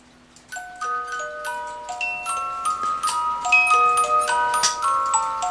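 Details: Regula 25 cuckoo clock after repair and timing: music box triggered on the hour after the strike, steady even tinkling melody of plucked metal notes; releases and plays properly.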